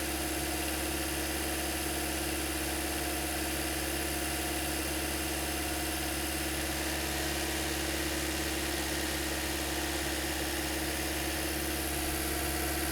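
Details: 2008-2013 Toyota Corolla after radiator and coolant connector replacement, warm at about 203-205°F with the fans cycling: smooth, even idle hum holding steady, no knocks, misses or surges; normal idle.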